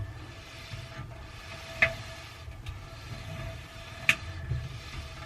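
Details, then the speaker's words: Samsung dryer with thin drum: faint tumbling and a sharp single thump about every two seconds as the cracked drum seam opens up passing the support wheel; loud thump with any clothes, fixed by welding the seam. "so right here you can see that crack forming and when it comes around and hits the wheel it opens that crack up"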